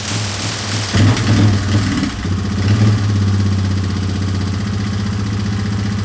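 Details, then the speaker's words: 2003 Yamaha Wolverine quad with fuel tank refitted and no longer leaking, checked before reassembly and a ride: a couple of quick blips, then a steady, even idle with clean firing and no stumbles; runs pretty good. "Runs pretty good. It's time to go see if it moves around."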